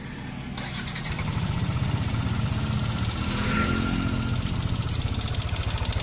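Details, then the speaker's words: Yamaha NMAX engine revving: light, rapid tek-tek ticking that resonates through the exhaust. Suspected from noisy valve rocker arms or camshaft, not confirmed; the head is to be opened. "Dilihat dari suaranya, sepertinya berasal dari lengan rocker katup atau poros bubungan. Suara tersebut beresonansi melalui knalpot."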